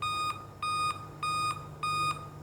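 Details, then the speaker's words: Dell laptop at power-on: a repeating high beep, about a third of a second on and off, looping steadily. "यह देखिए दोस्तों जैसे ही मैं laptop को on करता हूं तो इसमें से बीप की वॉइस आने लगेगी"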